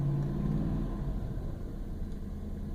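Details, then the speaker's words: 1999 Toyota Land Cruiser 100 series with a rusted-through OEM muffler, before replacement, heard in the cabin with doors closed. A loud, boomy exhaust drone with heavy resonance at certain frequencies. "Nice and loud. Not quite as loud as a straight piped vehicle, but it is obnoxious and it sounds terrible."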